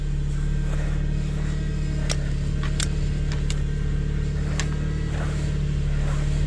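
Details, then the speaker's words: 2001 Subaru Outback at idle after serpentine belt, idler pulley and tensioner replacement, bubbles in fluid: steady low moaning whine while turning wheel; power steering pump whine from air in system. "Turn the wheel some. See if it stops making noise. I think we can call this fix done. Oh. That is an unhappy power steering pump."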